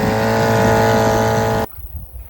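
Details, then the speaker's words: Vintage outboard back from California after shipping, on a barrel with fresh fuel, high and low needles 3/4 turn out; fired on the first pull, ran about 30 seconds then died; steady buzz cuts out abruptly; the seller suggests it may have been damaged in shipping. "That baby fired right up. First pull. Ran for about 30 seconds and died."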